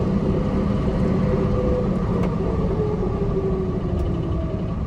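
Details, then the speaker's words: 1998 Pontiac Trans Am on drive test after moving zip tie that caused ticking near differential; steady whine over road rumble at cruising speed, constant pitch, source not yet pinned down; old tires noted. "got a weird whining noise though"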